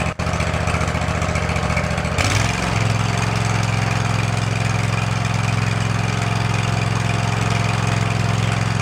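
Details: Field-find riding lawn mower, just revived and tested drawing fuel from its own tank: starter cranks two seconds, engine catches and settles into a steady, even idle without stumbling; healthy.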